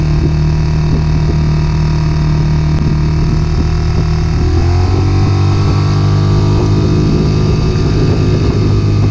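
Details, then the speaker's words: Circa 2020 Mercury 6hp four-stroke outboard, stalling and sputtering since winter storage, test run after carburetor cleaned and jets sprayed: steady smooth drone dropping cleanly to lower speed, no sputter or misses; running normally after repair. "Running pretty good. Give it some more test runs."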